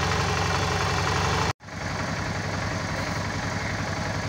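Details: Suzuki DL 650 V-Strom after cleaning the clogged high-pressure fuel filter and fixing the loose pump positive wire: steady, even V-twin idle with no misses, knocks or hunting, recovering smoothly after a brief dropout.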